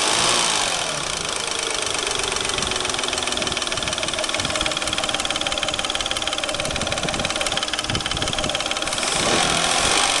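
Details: Peugeot 607 3.0 V6 at idle: a sharp, quick ticking knock about three or four a second over the idle, from the timing belt (ГРМ) end. Engine knock, cause unknown.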